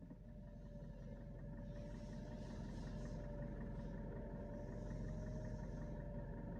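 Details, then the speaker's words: 2017 Mitsubishi Pajero Sport diesel, 104,000 km, stationary at idle, recorded inside cabin: thin steady whistle over quiet diesel rumble; turbo compressor fins damaged. "Ya, turbonya kisi-kisinya rusak teman-teman."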